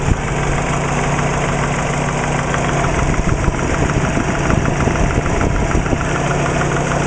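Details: Subaru Legacy with WRX engine at idle, fast even light knocking over the low engine hum; owner suspects piston slap, not confirmed.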